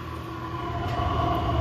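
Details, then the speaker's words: 8K diesel air heater on its first run, just switched off by holding the button: pump clicking has stopped and the burn chamber has calmed, leaving a steady fan hum and airflow still blowing heat out; normal cooldown. "okay so the burn chamber just calmed down the clicking stopped it's still blowing the heat out"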